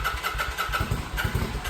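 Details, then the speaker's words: Kawasaki VN900 Vulcan bobber, first start after refitting tank and fuel pump: V-twin catches after a few stumbling beats and settles into steady, even lumpy idle while oil circulates. "There she goes. Let a bit of oil get round. Beautiful."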